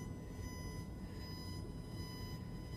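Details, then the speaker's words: Blue Yeti USB microphone headphone jack used as line output, mic muted with blinking LED: steady high tone near 1 kHz with overtones over a low rough hum through the sound system; suspected ground loop, fixed with inexpensive part. "but for some reason that noise is going through my whole sound system crazy and that's what your listeners listen to"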